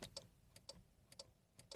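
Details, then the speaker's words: Ford Focus horn with fuse and relay tested good: quiet paired relay clicks about twice a second with no horn tone; horn unit suspected dead from road exposure or bad ground, later replaced. "click click noise there so it's trying to it's trying to activate the horn but um maybe there's like a bad ground or something on the horn or the horn itself has just had it"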